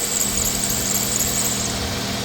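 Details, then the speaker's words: 2002-06 Nissan Altima 2.5L at idle, worn belt: steady, piercing high squeal over a calm idle that stopped when water was put on the belt, confirming serpentine belt squeal rather than bad pulleys. "Now to check it, to make sure it's the belt, get some water, and just put it on the belt."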